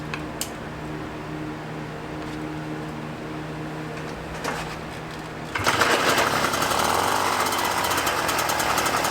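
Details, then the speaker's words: Puch Maxi moped, 50cc two-stroke, after O-ring sealed carb-to-intake air leak: fires up halfway into steady buzzy, rattly run without stumbling; normal running. "turns out number 74 is the correct Jedi on this she's running great"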